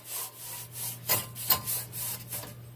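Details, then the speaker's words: 2006 VW Jetta 2.5L front passenger-side hub, car on jack stands, hub turned by hand: a coarse, gritty rasp like sanding wood that swells and fades with each push, plus play in the hub; a worn-out wheel bearing before replacement. "not supposed to make any noise this one sounds pretty horrible"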